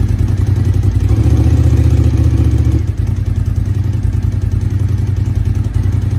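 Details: 1999 Suzuki TL1000R V-twin, 81,000 km, long stored, new battery, oil unchecked, rust in tank; deep loping beat at fast idle with steady pulses and a brief early blip; runs after storage.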